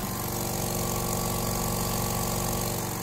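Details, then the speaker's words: Small air compressor running on a TBE 2000 W pure sine wave inverter: steady thumping with even motor hum, working normally; an earlier unexplained rattle stops while it runs and returns when it is switched off. "that rattle of stops and now I can just hit the fans and they sound quite smooth and powerful"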